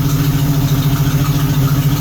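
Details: 1976 AMC Gremlin 232 inline-six, shakes when accelerating, fuel pump worn, plug wire 5 pulled: uneven lumpy idle with missing beat; dead cylinder, number 6 suspected fuel or compression issue, spark present.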